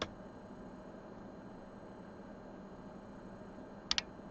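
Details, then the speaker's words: Quiet bench hum, then two quick sharp clicks: an Audison VRX 1.500 mono car amplifier's relay switching on normally after repair of multiple faults from low voltage during a booster jump-start. "voilà on entendu les claques maintenant je vais mettre le son"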